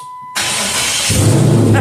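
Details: 1968 Charger AWD body swap car, starting after a missing ground that stopped the fuel pump was reconnected: single start burst, then it catches and settles into a steady, even idle.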